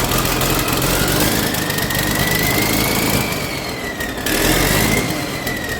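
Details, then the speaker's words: Sgt Major's diesel started for the first time in at least six years, still cold: steady diesel clatter at an even pace with a faint whistle rising and falling with revs; normal running. "So, sounded good, which I knew it would. Uh, it sounds even better once it gets warmed up."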